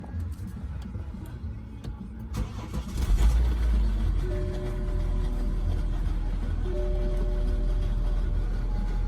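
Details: 2015 BMW X5 diesel at cold start-up catching and settling into heavy clatter with a loose metallic rattle on top; timing chain rattle suspected, not confirmed.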